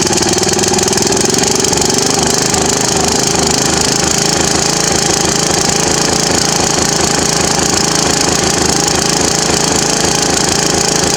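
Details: Murray riding mower, pull-started with no battery after coil swapped from another mower and new gas tank fitted, cowling off: loud, busy petrol note with rapid steady firing beat, no misses; runs evenly.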